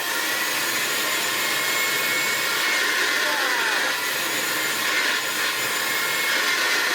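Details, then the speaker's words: 1972 Hoover Senior 6525C upright vacuum, unrefurbished, run on the bench without belt or handle fitted: smooth steady high whine and airy rush, no grinding; motor runs okay. "Fantastic. So yeah, that all runs okay."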